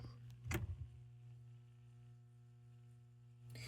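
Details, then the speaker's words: GE/Telechron "Time Only" clock H-rotor powered in its coil after reoiling, turning counterclockwise. A smooth, steady low hum with no creaking or scraping; the earlier noise is gone and the clock motor runs normally. "I was trying to get you to hear that creaking, scraping sound that it was making before I reoiled it. That's no longer there."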